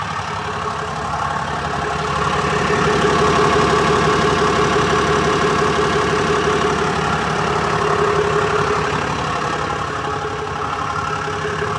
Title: 2018 Ram 5500 6.7l ticking / knocking sound, two weeks after I replaced the engine.